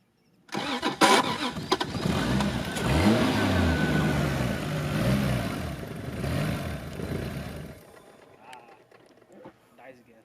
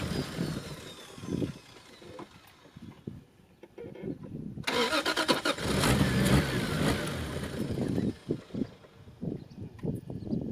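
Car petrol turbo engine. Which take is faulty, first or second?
first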